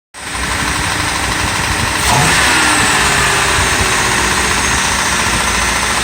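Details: 2008 Ford Crown Victoria V8, just over 100k, idling after startup: rough, uneven knock about three to four per second under the exhaust note; engine shot, owner suspects it was run low on oil.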